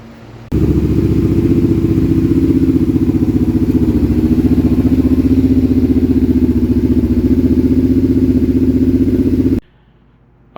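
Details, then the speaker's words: Kawasaki Brute Force V-twin after the failed Caltric camshafts were removed and the engine reassembled, high idle still to be adjusted down: strong, even, lumpy V-twin idle with no knocks or rattles, fires up much easier and sounds far better; normal running. "all back together now it's time to fire up see how now she runs hi idle we're going to adjust that down down manually on that side um but it sounds way better fired up a lot easier"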